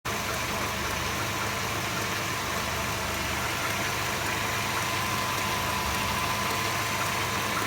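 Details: Mercedes SLK 230 R170 petrol engine at hot idle with a busy hissy mechanical clatter and faint thin tone, heard only when hot; water pump, thermostat, belts, mounts and oil renewed 1000 km ago, other parameters fine.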